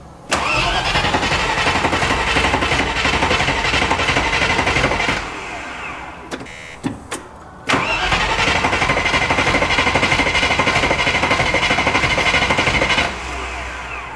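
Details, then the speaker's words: 30-year-old Range Rover Classic V8, first start attempt after 7 years, fresh oil: two long bursts of steady cranking with no firing; fuel system not priming, fuel pump suspected. "it's definitely fuel let you say it's had the fuel system off and that sounds to me like it's not priming at all yeah so I'm saying it's the pump"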